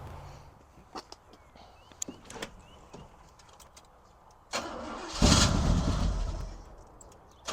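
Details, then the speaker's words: 1971 Cutlass Supreme SX 455 that sat for years, started with gas poured in the carburetor: scattered clicks, then a ragged, uneven burst that surges and fades; running rough on first start. "ah yeah let's go this thing sounds pretty decent well maybe not"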